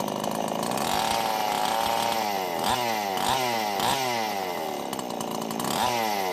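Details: Two-stroke chainsaw after an oiler mod with a new oil pump and a swapped side cover: a crisp buzz with quick throttle blips that rise and fall cleanly, with no bogging or misfire, running healthy.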